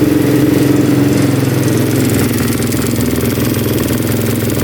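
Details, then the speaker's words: Honda TRX450R quad, fully modded, idling just after start-up with the fan on: single-cylinder exhaust note with a light, quick tick from the top end; owner suspects valves or cam chain, still to be investigated. "but you can hear the ticking in the top end so we're gonna do is just investigate that and just see if we can figure out why it's doing that"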